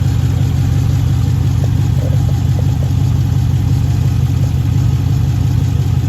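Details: 2013 Jeep Grand Cherokee idling rough with an uneven stumble and a light tick in the exhaust, plus smoke; P0305 cylinder 5 misfire on the left bank from a bad lifter and camshaft, with fuel not burning completely.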